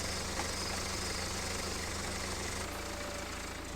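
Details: BMW 318d E90/E91 N47 facelift 2.0 L diesel idling after water pump replacement, engine cover refitted and heater check to follow. Quiet, steady low hum with no knock or rattle, just a bump at the end; smooth, healthy idle.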